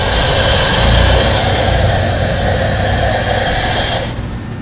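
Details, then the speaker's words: 1997 Camaro 3.8, sat over 10 years. Steady fast cranking of about four beats a second for several seconds that never catches. Crank, no start, no fuel delivery; fuel pump to be replaced. "Well, no, we didn't get no fuel."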